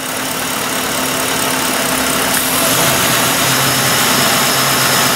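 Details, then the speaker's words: Ford Grand Marquis V8 with high idle and P0507, during minimum idle speed adjustment. After the two-wire idle air control valve is plugged back in, the steady idle rises to a slightly higher, even speed; normal IAC response. "what I'm going to do now is I'm going to plug this idle air control valve back in then I'll Focus you back on the scan dat we'll get some after shots we should hear an RPM rise when I do"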